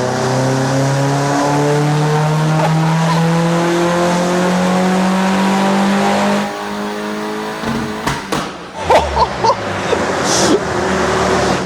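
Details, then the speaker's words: VW Fox with modified 1.8T GTI engine, new turbo and remap, dyno power run three at full load: loud engine tone climbing steadily through the revs, then lifting off with crackles; clean strong pull, 275 horsepower measured; normal. "so far 336 275 horsepower it is so loud it so that run was a 275 horsepower run 275 horsepower"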